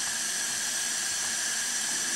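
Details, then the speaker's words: Craftsman self-propelled mower, 6.5 hp Briggs & Stratton, engine off, leak-down test reading about 30 psi at 50 psi in; constant high airy hiss of escaping air, cylinder leaking badly, suspected valves or valve lash and head gasket. "so that's definitely got some pretty bad leaks and you can actually hear them"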